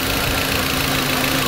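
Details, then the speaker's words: 2004 VW Beetle 1.8 Turbo, cold engine at idle: uneven, slightly hissy idle with a lumpy beat from a vacuum leak at the brake booster line, causing rough idle and a hard brake pedal with no brakes. "this vacuum leak is way back in the back it's on the booster cylinder already checked earlier on the brake booster and that's what's giving this car rough idle and a brake cylinder not to be able to engage"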